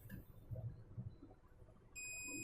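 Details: Gigabyte H61 motherboard, no power: steady piercing multimeter continuity beep as probes touch the rail, reading zero; dead short traced to a brown capacitor.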